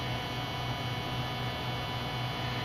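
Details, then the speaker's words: Mazda 626 after fuel pump replacement and tank reinstall, pump energized holding about 44 psi: loud, steady droning hum of constant pitch; owner unsure if normal, fears high resistance may burn out the pump motor; cause unconfirmed. "i am a little concerned with how loud that that noise was coming from the fuel pump and i'll engage it and let you hear that come out here hear how loud that is not sure if that's normal"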